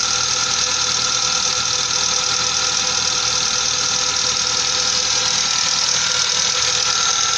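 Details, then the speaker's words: 1998 Mazda 626 petrol engine at idle after a tried fix on the hydraulic lifters: a quick, light metallic ticking of about three a second continues, unchanged by the fix. Worn lifters that need replacing. "смотрим что выйдет пока стучат [музика] слышно сейчас подождём немного посмотрим как стчали так и стчат даже даже Ничего не изменилося"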